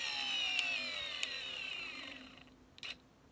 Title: Motor Problem: clicking sound / very short interrupt